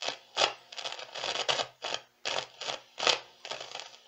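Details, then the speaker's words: Meteoro Atomic Drive 20W guitar amp, just powered on: bursts of harsh crackling hiss through the speaker as the knobs turn, caused by faulty potentiometers. "o Olá a todos vamos para Atomic drive com defeito bastante característico de problema nos potenciômetros alimento o aparelho liga e temos esse ruído"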